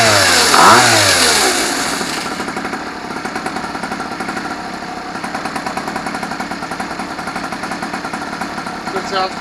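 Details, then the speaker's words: 15-year-old pocket bike two-stroke engine, first run after sitting for years, with new fuel filter and fuel, started using starting fluid. Even, quick popping beat that holds steady. Normal running. "used a little bit of starting fluid but now I got it red so let's go ahead and fire it up shall we"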